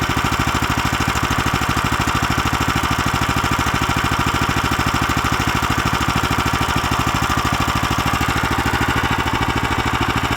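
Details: Lifan LF390QE Pro heavy-duty single-cylinder engine, newly fitted as a replacement on a flail mower and running outdoors on a cold day: fast, even beat holding steady throughout, no misses or knocks; normal running.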